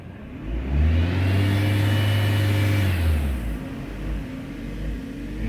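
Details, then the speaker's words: 2002 Dodge Neon at cold start, air filter badly worn: revs flare high for a couple of seconds, then sag and hunt; idle surge from an intake air or vacuum leak, found at a split intake tube. "this has got to be some kind of an air leak typically or a vacuum leak"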